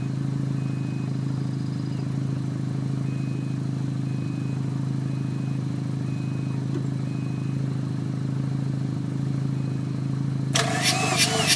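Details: Mazda RX-7 rotary that won't start: an even, steady cranking drone runs for the whole stretch and never catches or picks up speed. It cranks but won't fire.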